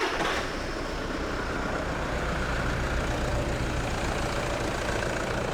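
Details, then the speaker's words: 2008 Toyota Land Cruiser diesel, first start after a timing belt replacement: catches and settles into an even, low idle clatter with no slapping or rattles; normal idle. "always it sounds good and then looks good"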